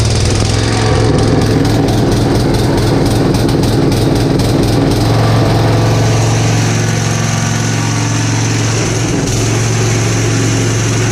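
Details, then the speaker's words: Gravely Commercial 12 34" Snow Cannon snowblower, cold start after about a month unused, full choke applied by hand: lumpy, uneven firing for several seconds, then a ragged, unsteady idle; rough running, possibly from fuel starvation. "I think it's starving out of gas or something"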